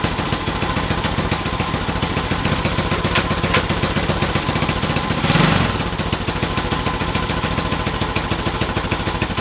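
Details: Honda CT70 Trail 70 mini bike, small single-cylinder engine, idling after the wiring harness was replaced with a new 12V universal harness; quick, even putter at a steady level, no knocks or misses; runs normally.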